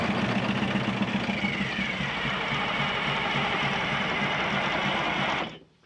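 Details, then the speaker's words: 1979 GMC Astro cabover with an 8V92 2-stroke Detroit diesel, sitting 7 years, with gas down the intake: fast, even cranking chuff about four beats a second that never catches; fuel lines dry, no fuel delivery, tank pickup suspected. "see if fuel comes out of there no we're obviously not getting fuel i think i think it'll run it sounds healthy enough when we're cranking it over"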